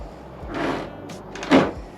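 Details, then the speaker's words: C8 Corvette, about 2.5 years old with about 40,000 miles: two short dry creaking groans as the rear hatch is lifted by hand. These are age-related creaks, fixed afterward with silicone grease. "yeah it's not exactly the nicest sound especially when you're showing up to a car show with all your buddies and you're trying to show off and then you open up and it sounds like it's like the hatch is about to fall off"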